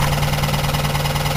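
Steady idle carries a quick, even light knock riding on the firing beat; a worn wrist pin and piston, not lifters or bearings.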